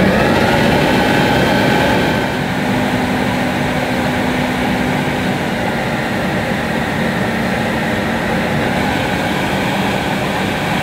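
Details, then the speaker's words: Hoover S4386 Aquatronic 1100 vacuum cleaner, circa 1987, motor running: steady high roaring whir with a faint squeak toward the end; motor runs evenly, owner thinks lubrication needed. "well that sounds as i remembered it maybe a little bit squeaky towards the end"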